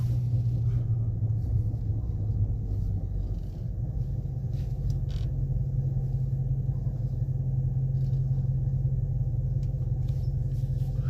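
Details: Dodge Charger driven at low speed into the dealership: deep, steady droning rumble from under the car, no sharp knocks; driveshaft reported beyond repair, FCA involved.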